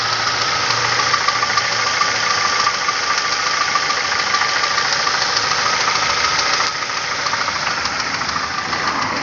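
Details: Nissan Almera 1.8: hard metallic knocking about 3.5 beats per second over idle, dipstick dry soon after topping up oil, oil spitting from exhaust 2-3 m when revved; severe internal engine knock, cause unknown.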